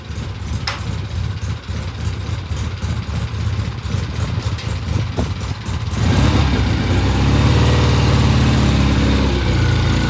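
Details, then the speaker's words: 1967 Triumph vintage British motorcycle after cleaning the pilot jet, which had made it sound terrible: engine picks up and settles into a fuller, steady, even beat with no stumbling; now runs smoothly. "What a difference a clean pilot jet makes. Listen to that thing. Isn't that gorgeous?"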